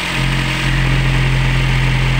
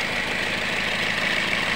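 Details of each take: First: Toyota Yaris engine previously rough, overheating and losing radiator coolant, after seals/O-rings replaced: steady, smooth low hum at idle with even beat, no rattle or ticking; rough sound gone. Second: Toyota Yaris with a rough-sounding, powerless engine that runs hot and keeps losing radiator coolant: rough idle with a dry, busy clatter. A loose or worn timing chain or worn rollers is suspected, and the VVT-i sprocket teeth were found broken.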